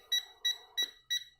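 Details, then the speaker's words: Tesmen TM-510 multimeter in non-contact voltage detection mode, tracing a cable down a wall: rapid regular high-pitched beeps about three per second, slowing and quickening with distance from the cable; normal detector beeping over live cable. "Et on entend le bip qui ralentit et qui augmente son rythme."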